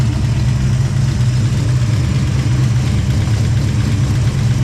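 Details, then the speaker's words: Project car first start: deep even idle rumble, no misses, ticks or knocks; a rattle heard is the muffler, not the engine; normal idle. "They're idling, man. It sounds good."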